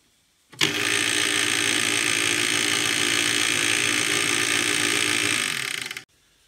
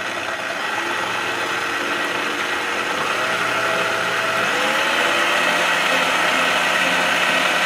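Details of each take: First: Clatronic KM2718 1000W stand mixer, belt found intact: steady high motor whir with a fast faint ratchety flutter as the belt climbs up off the worn toothed drive gear, so the mixing head doesn't turn. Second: Clatronic KM2718 1000 W kitchen mixer after repair of a slipping, loose belt, with a metal disc added so the belt stays on the gear: motor spins up to a steady, even whirr with no slipping or rattle; working normally.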